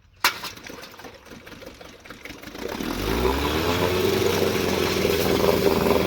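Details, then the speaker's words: Evinrude Yachtwin 3432C outboard, believed early-1960s and about 2.5–3.5 hp, after repair: sharp pull, a few seconds of cranking, then catches into a steady even two-stroke buzz; mixture screw still unadjusted, running normally. "Not bad for an old motor. Still seems to be running"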